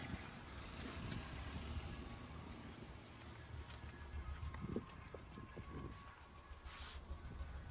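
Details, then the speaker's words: Hyundai i20 after a service: uneven lumpy exhaust note at idle with irregular dropped beats, petrol engine misfiring; recorded at the exhaust before diagnostic scan. "you can see here's the exhaust you can hear the sound how it's sounding it's misfiring this is a misfiring po so we have to figure out what is going on here"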